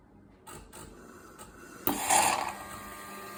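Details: DeLonghi ECAM 23.266.B coffee machine: when drawing milk or flushing the milk tank, irregular sucking clicks then a loud rasping, snorting burst over the machine's whir; cause unknown.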